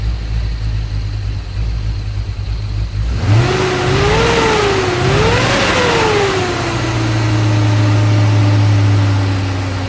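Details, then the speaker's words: LS V8 truck with big cam, after drilling throttle body blade for more idle air to cure cam surge and bucking: quick rev then steady, even, healthier idle without hunting. "If you watched any of my videos, you can tell it sounds a lot better. Just by a little bit of air. Just got a healthier idle note."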